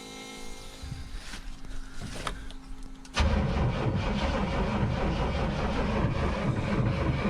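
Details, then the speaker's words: 1994 GMC C3500HD converted to dump truck, after battery dead overnight and recharged, fuel pump heard running: engine catches after quiet, runs loud and uneven, stumbling rather than settling; rough running after start. "[Music] oh it's running oh kinda not really [Music]"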